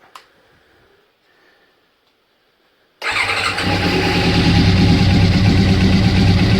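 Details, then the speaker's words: Honda CBR600 after reassembly of carbs and airbox, low on fuel: near silence, then catches instantly and settles into smooth, steady, even idle; starts fine, no leaks. "there we go quite sore starts no leaks nothing there"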